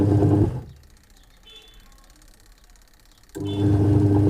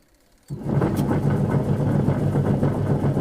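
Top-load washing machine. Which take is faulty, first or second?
second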